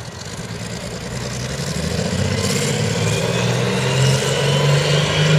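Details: CVR(T) Striker FV102 Swingfire tank at Aston Fields, Aug 2010, misfiring badly: rough, uneven engine note with irregular stumbles about three per second as revs build; cause was a stuck valve, later fixed by fitting a spare engine.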